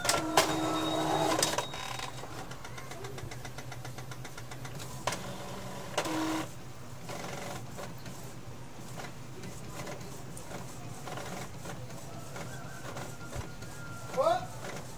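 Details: Epson L3110 printer, previously slow to start with a general error, now printing a self-check page after cleaning: quiet, even carriage and paper-feed whirring, no grinding or clicking gears; normal printing.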